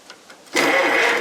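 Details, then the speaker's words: Rebuilt Delco-Remy 1107200 6-volt starter for a John Deere Model 40 crawler dozer, bench-tested on 12 volts after the rebuild: a quick, clean, even whirr with no grinding or clatter. The starter sounds healthy. "I can't believe how good it sounds. That sounds good. I've never heard it sound like that."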